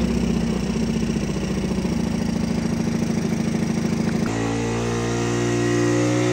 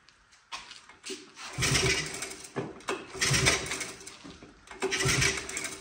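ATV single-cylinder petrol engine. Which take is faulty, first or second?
first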